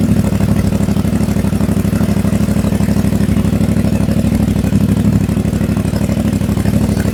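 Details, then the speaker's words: CF Moto 450MT, already warmed up (not a cold start), just after a DIY system software update from SW.1.00.23 to SW.1.00.98: steady, even, low-pitched idle with a quick regular beat and no knocks or misses; normal warm idle. "So, pakinggan natin kung may changes. So, yan yung idle sound."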